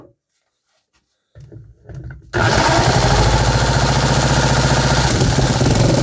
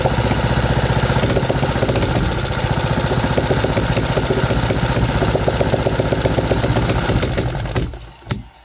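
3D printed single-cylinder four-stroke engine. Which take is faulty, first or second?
second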